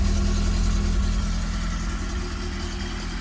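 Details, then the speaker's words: 1980 Fiat X1/9 with a timing belt that kept jumping off: deep, even, steady idle with smooth low rumble, no knocks or misses; belt still on, running healthy. "that was really good I love the way this sounds"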